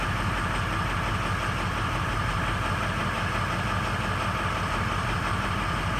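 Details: 2003 Ford F-250 6.0L Powerstroke diesel at startup: idles with an uneven, lumpy chug, the beat wavering rather than steady; misfiring or rough idle, cause not confirmed.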